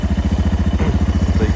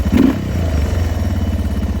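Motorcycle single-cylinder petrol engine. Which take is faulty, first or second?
first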